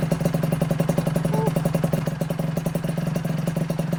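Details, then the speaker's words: 1996 Honda Nova Dash 125 two-stroke with a new WRC full titanium exhaust: quick, even pops at a steady idle with no misses or stumbles; still a little loud but it idles nicely. "so you can hear it's still a little bit loud but it idles really nicely it sounds much much nicer"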